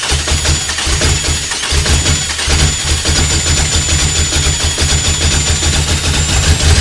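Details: Toyota 2.7L 1AR-FE (280-degree cams) in an MR2 Spyder, first start on Haltech Elite 1500 ECU, idle target 1500 rpm, rev limiter 2200: high uneven idle with rough low burble; suspected lean, owner adds 25% fuel.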